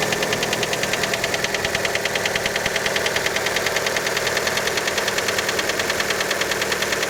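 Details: Fiat Panda engine right after a cold start: steady light knocking roughly two a second over the idle; cause unconfirmed, many suspect piston skirt.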